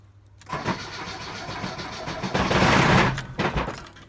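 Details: ZAZ Slavuta start attempt: heavy, uneven knocks under a rough, stumbling engine that never settles. The gearbox was fine, but the flywheel and clutch basket wobble, and the owner suspects a cracked crankshaft.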